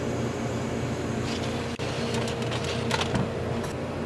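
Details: Antique General Electric CJ-1-C16 refrigerator after repair, recharged with R152A replacing sulfur dioxide: low steady hum after brief dropout with light clicks, compressor pulling the low side down; normal start and run.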